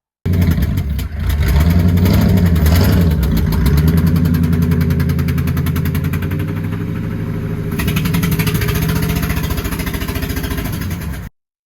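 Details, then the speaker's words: 2009 Mercury Grand Marquis, 4.6L 2-valve Ford modular V8: sharp, loud chuffing puffs about three or four a second over the idle, caused by a spark plug blown out of the head; fixed with a thread repair kit. "Have you ever suffered from a spark plug blowing out of the head of your vehicle, your modular motor?"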